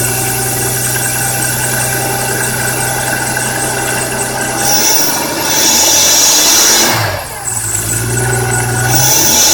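Idling engine with a persistent high chirping squeal and scraping that shifts when revved; source of the grinding chirp not pinned down.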